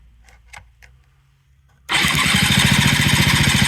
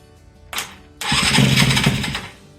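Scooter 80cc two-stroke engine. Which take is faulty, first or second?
second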